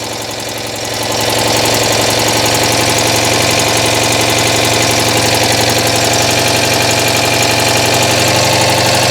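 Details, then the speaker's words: Citroën 2CV flat-twin engine idling after getting it running again: sharp, raspy puffing on every beat from a bad exhaust leak. "I've got a bad exhaust leak in here somewhere I can hear it"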